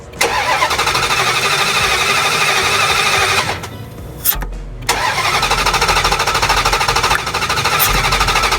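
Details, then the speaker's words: 2005 Dodge Durango bank repo with gasoline squirted into the throttle body, fuel pressure present: steady starter cranking about three seconds, pause, cranks again, never catches; crank no start, fuel ruled out, ignition next. "well looks like she didn't start did she so anyway the problem here would not be the fuel because the fuel is getting pressure"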